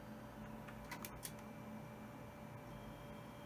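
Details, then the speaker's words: Windows 98 machine after a case swap: a quiet hum with a short cluster of soft clicks and seeks near one second as the Zip drive reads a disk and it pops up; Zip drive confirmed working. "making some noises there it is it just popped up Bert so zip drive confirmed for working"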